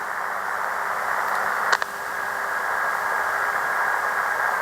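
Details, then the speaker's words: ATS-100 Si4732 pocket SSB receiver on internal whip antenna: steady receiver hiss, then OLED display wakes and a faint thin birdie tone appears with small clicks as readout changes; display interference birdie. "Yeah, you hear the birdie in the background, and also you can notice these small clicks like noise, and those clicks are by the small changes on the display."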